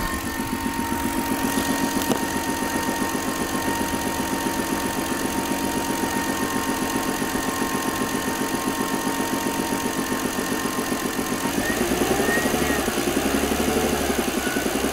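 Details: BMW petrol engine idling with a steady, rapid knock that is most audible after revving, plus a thin whistle. The owner believes the whistle is the belt tensioner and suspects piston or rod knock.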